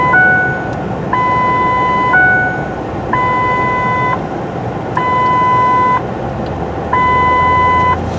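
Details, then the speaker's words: 2008 Ford F-150 with the complaint of the parking brake dinger going off all the time: while driving, a two-tone chime cycles about once a second in repeated bursts over road noise, with the seat belt light going on and off by itself; cause not yet found. "okay so the seat belt light is now on but you you could guys could hear that then we had two different audible tones here we have this tone that's going off plus we had what i would refer to as their normal seat belt dinger"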